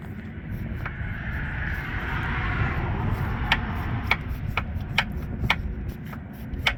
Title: Volvo T5 piston slap